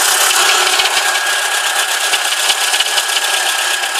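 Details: VW Corrado G60 idling: loose, uneven rattling knock, two to three a second, over a bright hiss; rod bearings suspected.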